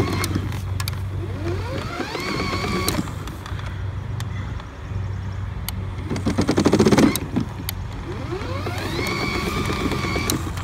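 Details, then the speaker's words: HART 40-volt brushless 20-inch self-propelled mower (HLPM021): motor whine with irregular rapid clicking about four a second when drive bail isn't squeezed fully; drive slips because a bending plastic lever has slackened the drive cable, engaging only when fully squeezed. "now if you just do this and turn it on you hear that the motor is not touching i can squeeze it squeeze it squeeze it the rest of the way and we got it"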